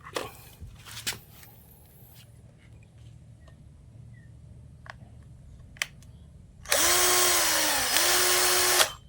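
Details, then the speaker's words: Electric drill that kept spinning then stopping, after disassembly, rewiring and reassembly; motor whirs up to a smooth steady whine, dips, then spins in reverse, running normally both directions. "ขวาได้ซ้ายได้นะเพื่อนๆเป็นอันว่าจบด้วยดีนะครับ"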